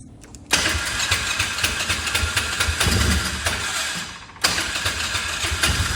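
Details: Old Polaris Ranger UTV: catches twice, then runs rough with an uneven ticking tap in the top end; owner suspects a worn camshaft exhaust lobe, having seen the same on two others, and plans to open it up.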